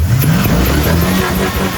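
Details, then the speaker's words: Chevy square body truck with V8, no tailpipes, first start after sitting for years following fuel and electrical work and VATS delete: strong cold revs blipping up from idle and settling back cleanly, no misses, knocks or rattles; normal cold revving. "Give it a cold rev. A good one."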